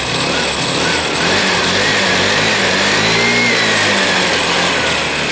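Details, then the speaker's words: 2012 Piaggio Typhoon scooter with swapped 125cc engine and swapped carb, first start-up on months-old stale fuel: steady, even idle with no knocks, misses or rattles; running smoothly. "but you can hear it guys smooth as anything"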